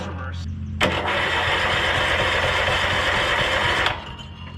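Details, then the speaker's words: Free 2013 Honda Harmony lawn tractor, in neutral: starter spins the small engine briskly for about three seconds with no firing; tank has no fuel though it smells of fuel. "uh there's no fuel in this thing right no it reeks in there though"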